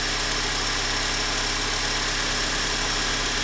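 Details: 2004 Honda Accord EX 2.4L four-cylinder after alternator and serpentine belt replacement for a battery light: even idle under a strong hiss with no squeal, whine or knocking, battery light out; normal idle.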